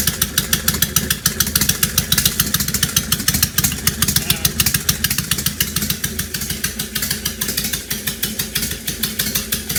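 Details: 2005 Honda VTX1300 V-twin, below operating temperature, half an exhaust pipe missing: uneven stumbling idle of about three to four pulses a second that never settles; rough running suspected from vacuum leaks or fuel issue.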